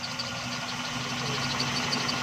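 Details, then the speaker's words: XLI 1.3 on CNG after gas kit mixture adjustment, with RPM rising as the screw is loosened: quiet, even idle with a steady hum and no stumbles; misfire now gone. "Engine smooth हो रहा है। तो दोस्तों ये रहा तरीक़ाकार। गाड़ी की मिसिंग अब बिल्कुल ख़त्म हो गई है।"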